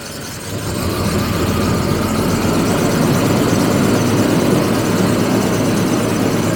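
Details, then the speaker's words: 1985 Jaguar XJS V12 sitting unused for 30 years, first start after getting the injectors working, oil pressure light out: rough, uneven idle with a lumpy beat and missing pulses, like several cylinders not firing; misfire. "I'm going to let it run for a minute or so see what happens see if it uh picks up or maybe we gain a cylinder or so a"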